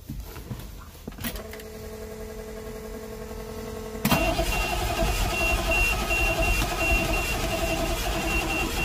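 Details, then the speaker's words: 1988 GMC 7000 with naturally aspirated 8.2L Detroit diesel that died while driving; fuel filters changed, no smoke: even starter churning at 3–4 beats a second, louder midway, never catches, slight smell noted; crank no start, governor inspected next. "come on baby she's not happy with sudden got a little smell here we're gonna let that go for a little bit and clear out"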